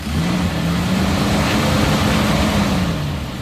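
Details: 1997 Toyota Liteace idling in neutral and revved with the cap off, which stays put: a steady, even note rising smoothly with no misses, knocks or hiss. The engine is tight.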